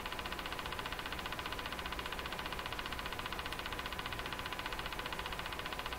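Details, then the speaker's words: Crosley 43FB farm radio during shortwave alignment: evenly spaced ticking about two and a half a second over faint hiss, slowing and stopping; owner suspects something mechanical, source not pinned down. "Hey, where's the ticking going? It just slowed down. Anything change? Slow down again."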